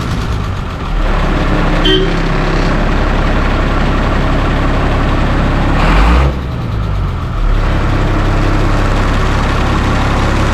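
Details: Leyland bus diesel that had not started for over 10 days, cold start using batteries swapped from another bus: the engine catches and settles into a steady, deep idle with a low even chug; running normally.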